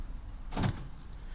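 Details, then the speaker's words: 2009-2010 Ford F150, doors unlocked from a newly programmed 5-button remote-start remote: a single quick muffled thunk as the lock actuators release together, crisp and even; normal door lock actuation. "I'm going to go ahead and I'm going to lock the doors, and I'm going to unlock the doors. If you listen, you can hear them."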